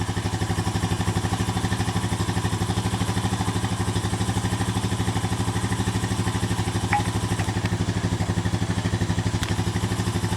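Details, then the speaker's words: 2007 Honda four-wheeler revived after about five or six hours of work: even, regular single-cylinder thump at low idle, about three beats a second, no knocks or rattles; normal smooth idle. "sounding good boy got a smile on his face now he's been working on for about five or six hours now"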